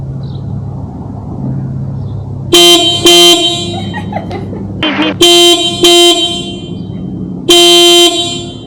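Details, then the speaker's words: 2019+ Mercedes Sprinter van factory horn before upgrade: several short thin high-pitched squeaky toots with no bass, likened to the Roadrunner; works normally but sounds weak and embarrassing. "This one sounds like the Roadrunner. you do. Right? The Roadrunner on Here, you want to hear? We'll let you hear. It's very embarrassing."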